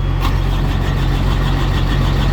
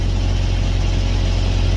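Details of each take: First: Carrier/Thermo King reefer unit diesel that ran out of fuel, refuelled and set to continuous mode: steady starter cranking about three turns a second with a low drone that never catches; no start, lost fuel prime, needs bleeding. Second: Carrier/Thermo King reefer unit diesel after refuelling and priming, running in continuous mode: deep, steady drone at even speed with no misses, knocks or surging; running cleanly, load safe.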